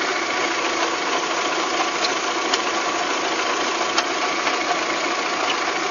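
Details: VW Golf 3 with abnormal engine noise; light, irregular ticking knocks through a thin, hissy idle about every couple of seconds; abnormal engine knock, cause unknown.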